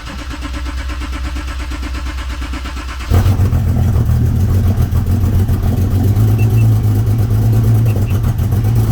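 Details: Porsche 911 991.1 with the check engine light on, cold start after filling up at a warehouse-club station: cranking catches into a loud, deep fast idle with an uneven, lumpy pulse; rough cold-start misfire, fuel suspected but unconfirmed.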